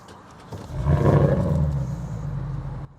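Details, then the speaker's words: Porsche 957 Cayenne with bore scoring, swapped to a 2011 958 engine with hybrid turbos: quick crank, clean catch with a deep swell, smooth even low idle, low-key exhaust tone, no knocking; normal start and idle. "It's got a nice tone to it. Very kind of low key, still got a bunch of the exhaust in place, but it's a little higher in the back."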